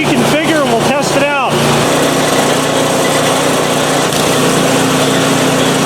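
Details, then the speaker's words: PowerSmart 24-inch snowblower started after sitting drained of fuel since 2018: steady, even small-engine drone, auger running smoothly, no knocks or misses; healthy normal running after storage. "let's see should be go it's gonna run so all right it's running i'm gonna reconfigure"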